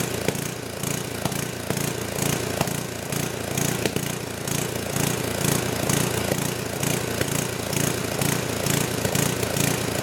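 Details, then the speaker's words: Old 10hp gasoline generator converted to propane/LPG using only the regulator of a cheap eBay aftermarket carb kit, choke open; uneven galloping run about two beats a second with sharp backfire pops; owner suspects it isn't drawing enough fuel, unconfirmed. "so it's not running perfect it's got a little gal up to it a little backfire and they're trying to indicates like it's me so maybe it's not drying enough fuel"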